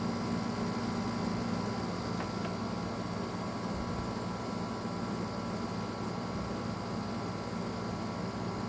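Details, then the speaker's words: Arctic King air conditioner with high hours and flood exposure: the compressor runs with a steady, even low hum and smooth drone, with no knocks or rattles. Normal; the fan motor bearings are also good. "That compressor sounds just fine. Nothing out of the ordinary with that."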